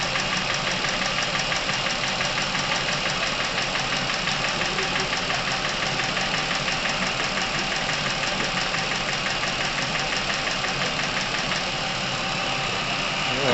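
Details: Chevrolet Epica, over 200,000 km, top-end noise appeared suddenly; fast light ticking over smooth idle, about three ticks a second, from hydraulic lifters and camshaft, at operating temperature as Dimexide flush is added to fresh oil; engine reportedly quieter after.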